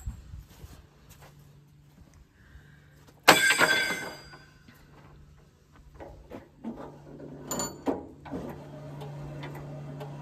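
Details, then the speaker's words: Sawmill blade sharpener running: low steady hum with loose uneven ticking and occasional scrape; sounded like it needed oil but it's just friction, normal operation. "It almost sounds like you need to oil something. Nope. Okay. Just all friction."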